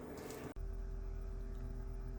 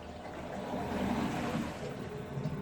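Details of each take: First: Galmet Airmax³ 14GT heat pump at first start-up, system vented through a Flamco Xstream Vent separator, heard in the basement plant room: after a brief noise, only the circulation pump gently hums, steady with no gurgling; normal circulation pump running. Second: Galmet Airmax³ 14GT heat pump first start-up, hydronic circuit in the basement: uneven gurgling and trickling water in the pipes, bubbling a few times a second as remaining air clears; circuit then vented, leaving only the circulation pump hum.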